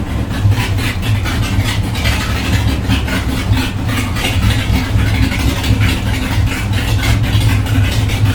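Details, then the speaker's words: MAC long tube headers just installed, first start after reassembly: rough, loud idle with a sharp puffing tick on every firing pulse; owner suspects exhaust leaking at the header flange off the head, bolts maybe not tight enough, unconfirmed. "well that sucked apparently they're leaking right off the head i think unless that's the way they're supposed to sound when you first fire them up maybe i got the the bolts might not be tight enough i don't know"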